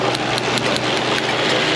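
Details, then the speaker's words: 2000 Honda Civic 1.6L 4-cylinder, 219,049 miles, rough running with check engine light: uneven idle with irregular sharp snaps about every fifth of a second; all cylinders misfiring from coils leaking spark. "Yep, that's a misfire. They're all misfiring."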